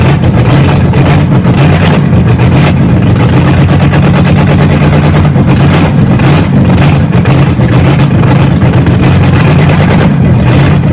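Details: Engine just started after three and a half years sitting, new starter fitted, camshaft being broken in with no exhaust fitted: very loud, raw, even roar at a fast idle, no misses or knocks; runs smoothly.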